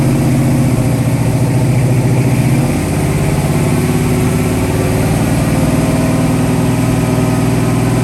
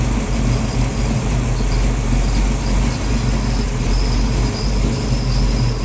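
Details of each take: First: 1966 Mustang 289 built to a 331 stroker with hydraulic roller cam, first startup and tune-up, timing set at 10 degrees rising to 40 with mechanical advance; loud steady rich V8 idle with a brief blip, no ticking or knocking; normal idle and revving. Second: 1966 Ford Mustang with rebuilt 289-based 331 stroker V8, idle set about 750 rpm after first startup: steady low idle with faint irregular light rattle and squeak up front; source not yet found, cause unconfirmed.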